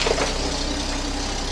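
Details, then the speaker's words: 1997 Volvo 480 idling at start-up after fuel filter and pipework replacement: a breathy puffing hiss rides over the engine with a faint rattle underneath. Exhaust leak, found blowing heavily from a junction under the car. "Still got that nasty blow and rattle on the exhaust."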